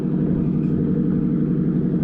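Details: Engine after new spark plugs and a new ignition coil installed to fix a misfire: steady, even rumble with no stumble or skip in the firing; runs smoothly and healthy.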